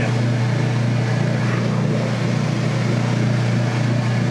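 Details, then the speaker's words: Whirlpool direct-drive top-load washer during neutral drain: steady low rumble with gentle back-and-forth swell as the gearbox oscillates, older-style drain pump running, ending in a pleasant air sound when fully drained; normal drain gear rumble. "I just like the rubbling of that of that gear going back and forth is just amazing like I said I don't know why it makes that sound in drain"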